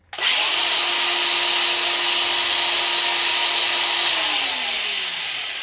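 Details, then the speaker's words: DeWalt DCG412 angle grinder after repair of a wire melted into the body, tested once reassembled; motor spins up quickly to a steady, even high whine with no grinding or stutter, then winds down smoothly; normal running. "That sounds pretty good to me."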